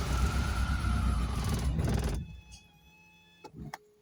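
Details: Volvo 480 turbo after long inactivity and wet storage, with new spark plugs, cables, rotor and distributor cap: about two seconds of steady cranking, no firing; tries to start only with fuel added at the intake. Suspected fuel pump or relay.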